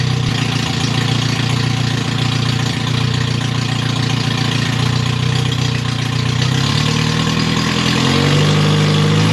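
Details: MG Midget with rebuilt twin SU carbs, no radiator, getting warm before shutoff: loud idle with an uneven pulse that rises in pitch as it is revved during jet adjustment. Uneven idle.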